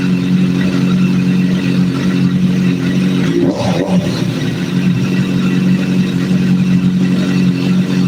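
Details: Hot four-cylinder idling during a vacuum sync, with cylinder 3 adjusted by screws until the readings are about as close as they will get: a smooth, steady idle with an even low drone, no stumbling or hunting; healthy idle.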